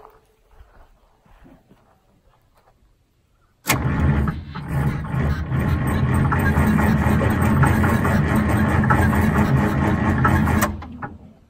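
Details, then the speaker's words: Detroit Diesel 6-71 after a very cold night: the starter drags slowly and evenly, about three compressions a second, for seven seconds without firing. The battery is very low, and it cranks faster on a charger. "those battery battery is really low let's throw a battery charger on it all right so through the battery charger on it and it turns over faster it's gonna fire it right away it's just cranking to slow"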